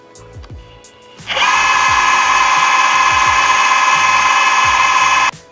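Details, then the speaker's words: Boosted Board V2 Dual+ electric skateboard, each wheel motor recorded on its own mic: the healthy wheel makes a loud but smooth, even high-pitched whir with no rattle or rumble, unlike the faulty, grinding side. "how it's although it's somewhat loud it's really smooth in the way it sounds and not so ratalie or rumbly"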